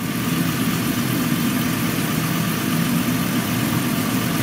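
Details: 2007 Chrysler Pacifica, warm after running for some time, idling after one injector was replaced based on a fault code alone. The idle is an even, steady hum with no stumbles or dropouts; it runs clean.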